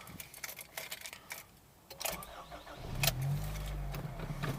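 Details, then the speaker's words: Acura RSX after starter replacement, previously grinding right after cold starts: short quiet crank, catches within a second and settles into a steady even idle with no grinding; new starter working properly. "so my car starts now"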